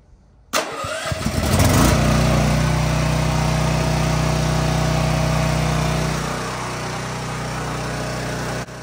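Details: Champion dual-fuel whole-house generator cold-started on propane (gas off, choke then opened, battery start) during a power outage: cranks, catches quickly, then settles into a steady, even drone with no misses or hunting; running properly.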